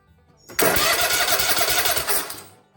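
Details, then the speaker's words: Kohler Courage SV720, hard to turn over, no fuel and old oil, cranked after cleaning battery cables and setting valves: brisk even starter spin for about two seconds without firing, no drag; normal cranking. "now that's what i want right there doggone it that's what we need out of this motor to crank"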